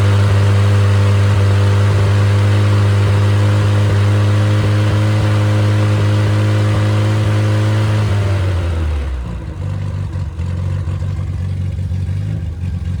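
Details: After repair, a rebuilt, previously seized engine (two rod caps swapped; bearings replaced, caps corrected) with a low-compression head (~7.5:1), stock cam, and even ~125 psi compression runs steady and even, then shuts off cleanly. Oil pressure is 75 psi at start-up, 40 psi hot idle. Normal running.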